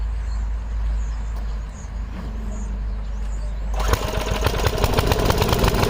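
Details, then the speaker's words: 5 HP Briggs & Stratton engine on an MTD rototiller after quick carb cleaning and new fuel pump diaphragm: fires with irregular, lumpy beats that never settle; runs unevenly, mixture adjustment suspected. "Definitely sounds like it's going in two lane. That's why I like adjustments on the carburetor."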